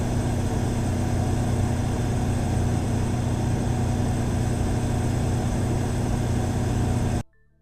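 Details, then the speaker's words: Cummins Power Connect standby generator with Level 2 sound kit at 100% load, eight microphones 7 m away in acoustic test centre: constant even low hum with steady firing note, no knocks, surging or rattles; 4 dB quieter than competitor; normal running. "Each unit was running at 100% load. Let's listen to the Cummins Power Connect model with the Level 2 sound kit."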